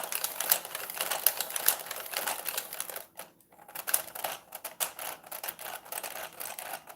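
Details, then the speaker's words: Revell Visible V8 plastic model engine taped a little too tight: light, uneven tapping clatter rising and falling with brief hesitations; binding location not found, possibly the crank or a hanging valve, owner suspects. "not sure where it's binding right now i'll figure it out could be in the crank"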